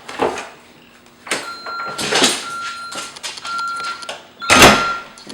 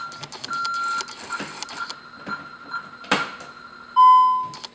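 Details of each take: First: Home alarm system entry: door opened with a key while armed, and a steady high ~1.3 kHz beep repeats in short runs between door thuds; the 60-second entry-delay warning before disarming. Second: Home alarm system: entry-delay warning chirps, then short key-press beeps as the 4-digit code plus 1 is entered, then one long steady tone as the system disarms normally within the 60-second window.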